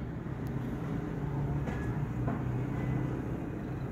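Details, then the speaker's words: Japanese-market Suzuki Swift automatic idling after replacing the faulty engine coil on cylinder 4, whose plug was fouling black. Intake had moisture and oil, exhaust choked. Low, steady hum with no stumbles; no misfire now. "ठीक है जी। इस time गाड़ी में कोई miss firing नहीं है।"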